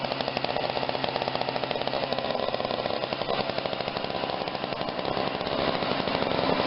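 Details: Snapper 17-inch snow thrower, running after repairs, primed and started: fast, even popping exhaust beat holding steady with no misses or surging; normal running.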